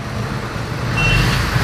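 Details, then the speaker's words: TVS XL100 BS6 that started then died when throttled, after replacing the whole throttle body set: small engine revs up smoothly with clean pickup, no stumble or cut-out; problem fixed. "Pickup भी ले रही है गाड़ी, अच्छे तरीके से work भी कर रही है, स्टेट ले रहा है गाड़ी, बन रही है।"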